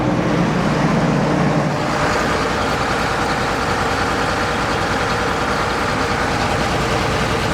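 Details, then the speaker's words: John Deere 9600 combine diesel on a cold start, puffing blue smoke, code 37E (fuel temperature sensor). Loud, uneven, lumpy stumbling idle; one cylinder missing, injector later found completely worn out on the test stand. "So, we're definitely missing one cylinder."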